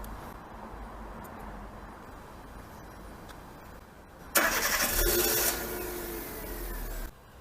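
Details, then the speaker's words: Chevrolet Spark (M300) / Daewoo Matiz Creative after DIY install of an AliExpress start button and remote start kit: quick crank, engine catches cleanly into a steady even idle; remote start from the key works. "네, 이렇게 버튼 시동은 정상 작동하고요."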